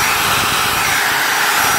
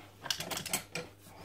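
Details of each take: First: Magpro magnetic drill that would not turn on, after fixing the brush spring that had lost tension against the armature: strong steady high whir at even speed for several seconds, winding down smoothly when switched off; motor runs healthy. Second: Magpro magnetic drill: magnets work but motor won't start; a few sharp switch clicks over a faint low hum, no spin-up, because a brush spring has failed and no longer presses the brush against the armature.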